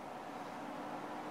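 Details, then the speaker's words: Drop-ceiling grid DC-motor ceiling fan on remote at top speed 9: steady airy whoosh with faint even hum, no wobble or rattle, a bit loud but white-noise-like; normal high-speed operation. "It's a little, I don't know, maybe some people might say it's a little loud, but it does create kind of a white noise if That's something you'd be interested in."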